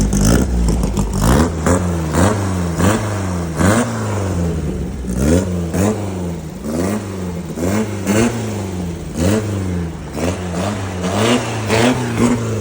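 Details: VW Baja air-cooled flat-four upgraded from Kadron to Weber-style carbs, rejetted (main was 115, ended with 52 jet): repeated sharp blips climb cleanly and drop to idle without stumbling or popping.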